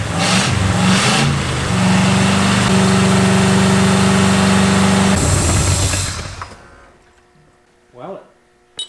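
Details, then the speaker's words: International pickup's first fire-up and break-in after a V8 engine swap, with a badly leaking radiator and an oil leak at one valve cover: the engine fires right off, revs and runs strong and steady with no knocks or misses. "runs so get fired right off my uh water situation is not great we'll deal with it"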